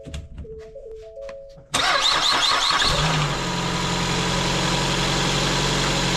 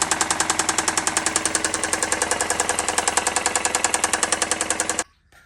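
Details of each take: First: 2017 Ford Escape, first start of the replacement engine after the original knocked from running out of oil; oil-pressure priming was done first. Starter cranks briefly, the engine catches and settles into a steady, even idle with no knocking: normal start and idle. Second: 2017 Ford Escape engine run out of oil: loud rapid metallic rod knock, about ten a second, over the idle until shutoff, from oil starvation; the engine is being replaced.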